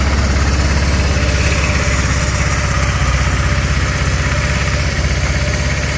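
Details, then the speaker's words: 1,567-mile GY6 150cc 157QMJ scooter started after a valve cover gasket replacement: an even, rapid low putter at steady idle with no ticking, knocking or stumbling, and no leak. A normal idle. "Oh, I'll just turn it on here. No leaky leak. Idle's good. 1,567 miles."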